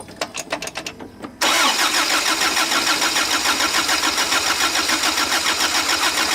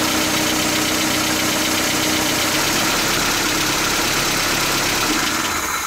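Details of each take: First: 1977 Toyota pickup with a rebuilt engine whose old rocker arm assembly was not replaced, idling after cranking: a sharp metallic tapping or clanking from the top end, about three a second; worn rocker arms. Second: 1977 Toyota pickup idling after a new rocker arm assembly was fitted and valve lash adjusted: even, busy idle, much quieter, no top-end ticking, carburetor now more audible; healthy valve train.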